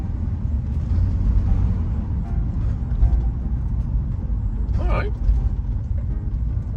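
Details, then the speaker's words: Van pulling away from the shop after repair of high engine noise, which the mechanic attributed to the exhaust, and grinding: steady low engine drone under road rumble, no grinding or rattling, noises gone. "okay just coming out of the shop all right so the the regular noise is gone oh the other noise has gone too"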